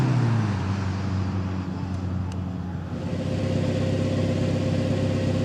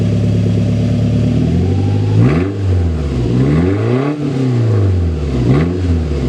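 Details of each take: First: Toyota Tacoma 2.7L 3RZ, cold start after replacing the broken stock muffler with a 2-inch ID Thrush glasspack: deep, even low rumble, moderate volume, no rasp or drone; sounds like a truck, not that loud, normal glasspack exhaust note. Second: Toyota Tacoma 2.7L 3RZ, 2-inch exhaust, on a cool day with the stock muffler cut off: loud raw unmuffled blatting rasp through three quick revs from idle; open exhaust before glasspack install.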